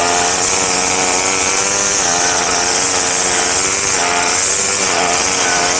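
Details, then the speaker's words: Craftsman two-stroke gas string trimmer after carburetor kit rebuild, which fixed hard starting and failure to rev: high buzz rising to a strong, steady rev with slight rises and falls, pulling cleanly; runs better than ever, normal revving. "Well, I'd say that I don't remember it ever running that good, but I go put on some glasses and some shoes and continue."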